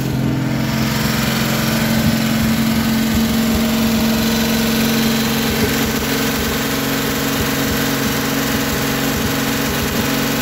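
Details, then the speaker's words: 1957 Chevrolet 210 V8, revived after sitting since 1991, idling on a rigged gravity-fed fuel supply to the carburetor. Smooth, steady idle with an even lope and no stumbling or knocking. Normal idle. "that'll be the next major hurdle being the engine runs pretty good you know and get a sufficient gas supply"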